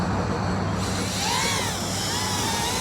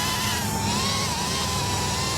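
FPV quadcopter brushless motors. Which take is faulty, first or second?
second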